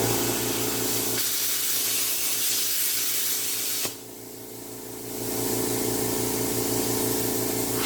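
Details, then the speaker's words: Tork CAB-50 plasma cutter arc test after replacing the compressor capacitor that caused low air pressure: steady harsh hiss dipping briefly near four seconds then recovering; normal plasma cutting arc. "Allumez l'arc parce que vous devez faire Testé dans la pratique, Exercice d'équipement lorsque vous Réparez-le."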